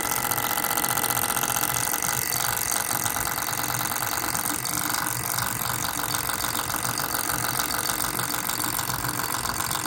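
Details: MSI GS30 laptop, fan model PAAD07010SH N263: fast uneven rattling buzz over a steady high fan whir; the fan unit itself is rattling and needs replacing.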